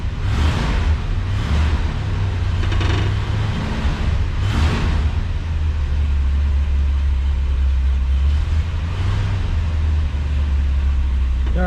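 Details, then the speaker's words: 1966 Ford Galaxie 500 convertible V8, cold idle just after start after sitting 6-8 weeks in hot weather: deep, lumpy, uneven rumble with throttle blips; owner suspects gummed carburetor or stale gas; smoothed out after about five minutes. "yeah you can tell it hasn't been run in a while I think the carburetor has gummed up a bit"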